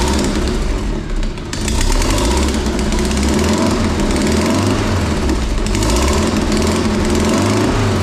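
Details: Vauxhall Astra estate converted to X20XEV 2.0 16v, running temporarily on a C18XE loom and ECU awaiting new cam and crank sensors, newly welded manifold and custom exhaust, first fire-up: loud, uneven, lumpy drone with a stumble; running rough, cause unconfirmed.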